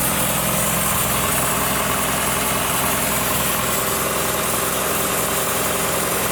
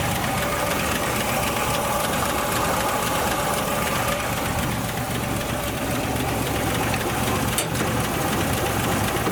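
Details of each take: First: 1962 Ford Falcon with original Holley carburetor just installed; loud idle with uneven loping beat about three to four per second over steady rush; vacuum leak, found on top of the fuel pump. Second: 1962 Ford Falcon with original Holley carburetor refitted, after fixing a vacuum leak on top of the fuel pump: steady, even dense-rumbling idle, no hiss or surging, no obvious leak; idle may still need adjusting.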